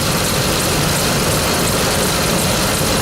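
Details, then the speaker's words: 2004 Dodge Ram half-ton 5.7L V8 at idle after repairing exhaust leaks from broken manifold bolts on both sides: even, steady rumble with no ticking or puffing, quiet with manifolds sealed, normal idle. "Let's start it up, check it out. Quiet as a church now. No leaks."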